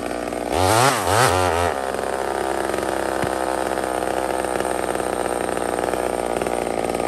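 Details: Small Homelite two-stroke chainsaw on a stock chain (owner says a better chain would cut faster), used cutting maple: quick wavering rev bursts for about a second, then an even, steady high-speed drone. Normal, healthy running.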